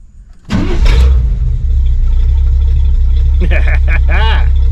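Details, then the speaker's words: Suburban with a new Evil Energy 600 CFM carburetor and 700R4 transmission, restarted warm after running. A short crank, then it catches at once and settles into an even, steady idle. Normal warm start. "Let's see how well she fires after she got a little heat in her."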